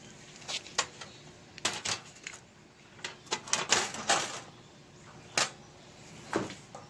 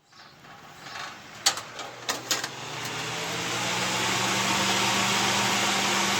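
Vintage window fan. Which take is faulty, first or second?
first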